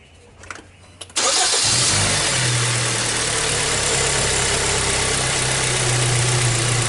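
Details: 2014 Hyundai Tucson 2.0 L petrol with hesitation and power loss after a service. A brief crank catches and settles into a steady, even, smooth idle, no longer shaking as before. Normal start and idle.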